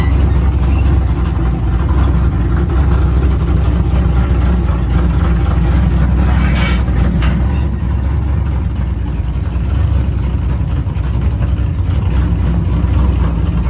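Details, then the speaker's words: 6.0 V8 burnout truck, first start since the show, after burnout passes on a 6K two-step: loud, rough, uneven idle; owner suspects slight misfire, exhaust leak at the flange, months-old blown head gasket pushing coolant out of a cylinder. "When I loaded it, it sounded like it had a little misfire. I ain't started it since the show, so let's see. Got a little exhaust leak on my flange."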